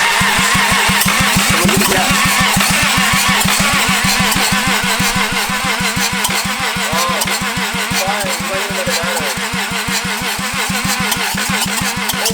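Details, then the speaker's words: Toyota 2JZ engine removed from a Lexus, run outside the car with rod knock: regular starter chugging about three turns a second that softens and cuts out as the battery runs flat; slow cranking from weak battery. "We need a battery. Oh my god. Alright, Jake to the rescue. Get the charge back going."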